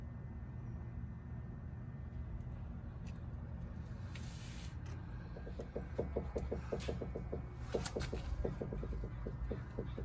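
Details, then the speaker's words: 2002 Mazda Tribute (Ford Escape equivalent), stethoscope on steering linkage while steering is turned left and right: quick run of small creaky knocks, loudest at the top and bottom joints of the sway bar link; worn sway bar link joints. "noise for so I can hear as the the linkage moves left to right that the loudest sound is coming from the joints of the sway bar link at the top joint and also the bottom joint of the SAR link and therefore I know that the swe bar link is the one that is causing the noise"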